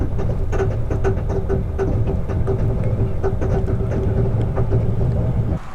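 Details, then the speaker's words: 2019 RAM 3500 High Output Cummins after about 600 miles on bad diesel: loud clattering idle with a sharp regular rap when stopped in traffic, and no power pulling away; cause unconfirmed. "I could hear the engine making a really loud sound."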